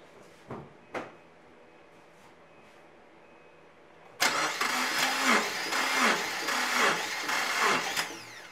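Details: 2008 Subaru Impreza during a compression test. Cranking has a lopsided, uneven beat with no push-back from one cylinder, which reads zero compression with an oil-soaked plug. The cause is a broken passenger-side camshaft from low oil.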